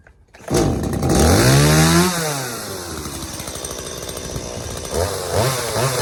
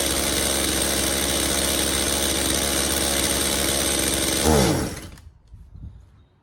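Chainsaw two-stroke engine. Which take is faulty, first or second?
second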